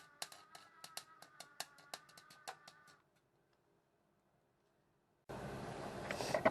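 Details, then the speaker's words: Clarke 120E MIG welder, about 20 years old and suspected worn out, welding sill panel on Volvo 480: irregular crackling pops and spits, then a rougher burst; erratic sputter, settings look off, splattery but holding, cause unconfirmed. "well you can hear i still haven't quite got the welding right but and it does look very splattery but it's actually holding"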